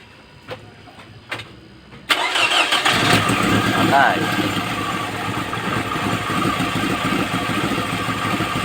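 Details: Second-gen Toyota Camry misfiring and pulling poorly, coils already swapped, cylinders 2 and 3 under 100 psi compression, oil added to test the rings. Cranks, catches, then idles roughly with an irregular stumble. Radiator bubbling matches the misfire; top overhaul planned.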